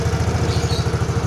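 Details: Yamaha Mio scooter that had lost compression and wouldn't start; after adding oil compression returned, and it now idles with an even putt-putt of about ten pulses a second, no skips, running normally.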